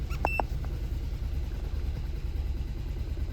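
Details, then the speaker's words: 2019 Kia Rio four-cylinder idling low and lumpy with a stumbling beat; it shakes violently in drive with a flashing check engine light and loss of power. Codes P0302/P0303; cylinders 2 and 3 have zero compression, and the plugs are worn and show oil consumption. "As soon as you put it in drive, car very violently shakes, and the engine light will start flashing in a couple of seconds."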